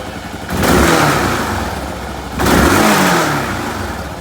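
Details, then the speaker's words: Kawasaki KLR650 single after a carburetor correction kit install: two clean throttle blips, revs rising and falling smoothly; the former backfiring appears eliminated. "and then i'll show you the throttle response difference here and uh my machine used to backfire like crazy when i do this it sounds like it's illuminated that backfire totally"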